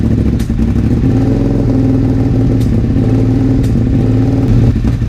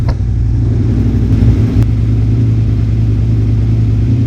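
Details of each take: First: 2001 Suzuki SV650S V-twin first start after valve shim adjustment and carburetor work, on choke: uneven, lumpy beat with stumbles, pops and spitting. Vacuum leak from an unplugged carburetor vacuum port whose plug fell off. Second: 2001 Suzuki SV650S V-twin after valve shim adjustment and carburetor work, warming up with the idle screw set high: strong, even exhaust note pulling cleanly on revs, no misses or knocks. Tachometer reads 1500–1600 rpm but sounds like 1200–1300. Normal running.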